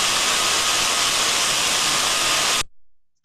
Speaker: smooth and uniform just the saw sound we wanted to hear so we can see the sound recording there that I likes to us that we have a gearbox that is in good working order